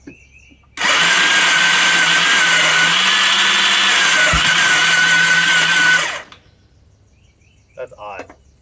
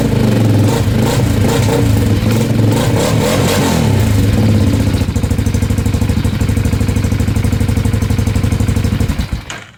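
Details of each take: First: Bombardier DS650 quad with a newly installed starter motor: steady high electric whir with no compression pulses. Starter freewheeling, not engaging the engine; owner suspects the gears under the cover. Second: Bombardier DS650 sport quad on a jumper pack after a new starter motor and one-way starter clutch: brief crank, clean catch, then an even single-cylinder idle thump. It starts much smoother than before.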